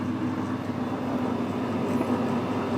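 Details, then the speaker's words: SNNC 563 lathe in slow speed cutting an internal left-hand Acme thread, 0.2 mm cut, half nuts engaged. Even, steady drone with a faint mid-pitched tone and no chatter or squeal; normal thread cutting. "once I engage the half nuts that's it just stop engaging until the job's done so that should be cutting the thread in there"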